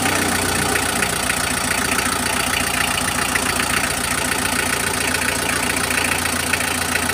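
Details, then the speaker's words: Mitsubishi L300 diesel after its injector nozzles were cleaned and refitted: an even, stable idle clatter with no misfire stumble or heavy shaking, much smoother than the rough, pincang running before. "Jadi, sekarang saya melihat mesinnya tidak lagi bergetar hebat, tidak lagi kasar. Eh, cukup jelas. Yang jelas ada perubahan, suaranya sekarang stabil, teman ."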